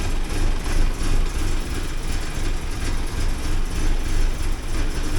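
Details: 1979 Porsche 924 on a cold start with a low, uneven idle surging about three times a second; consistent with a lean mix from low fuel control pressure, as it starts fine when proper fuel pressure is applied.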